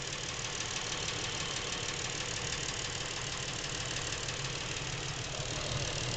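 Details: New Lincoln MKX, 7,000 miles, at idle: a light, regular ticking knock about three per second over an even hum. Present since new and getting worse, it seems to come from the back of the engine. Dealer couldn't hear it; cause undetermined.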